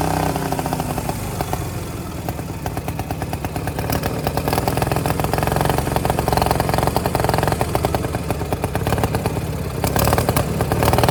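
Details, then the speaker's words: Power King 2417 lawn tractor, carburetor not yet cleaned: rough, clattery twin at about three beats a second, pace wandering as it labours; running rich from a clogged carburetor float and main jet, poor throttle response. "she's running like a champ now throttle response isn't real good"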